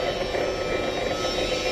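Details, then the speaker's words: Electric fan motor with its blade fitted, running under load: a steady loud rushing roar with a rough midrange hum. It is quiet when run unloaded with the blade removed, indicating a failed bearing. "এই মটরটি খালি চালালে কোন sound হয় না কিন্তু লোডে ফেললে অনেক সাউন্ড হয় এবং লোডে ফেললে বোঝা যায় যে বেয়ারিং নষ্ট হয়েছে"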